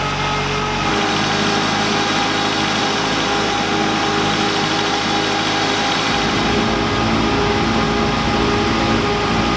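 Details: VW Lupo 1.8T with GT30 turbo after engine damage and rebuild (H-beam rods, new bearings, 2 mm head gasket): steady, even engine note held smoothly, no knocks or rattles; runs very well.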